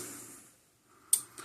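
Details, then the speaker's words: Southern States Statesman Super Energizer fence charger (rebadged Parmak), after repairing a broken stranded wire to the transformer: quiet room, then a sharp dry tick followed by a softer one; normal pulsing, and the gauge works again. "There we go. Just a loose wire, broken wire, whatever. All was wrong with it."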